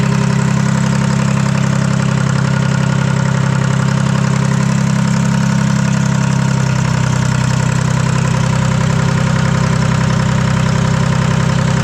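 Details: Detroit 3-53 two-stroke diesel first start after 25 years, camshaft reversed after a backwards install in its 2000 rebuild: loud, even low drone with steady fast beat and raw open-pipe bark, no exhaust fitted, smooth with no misses. Normal idle.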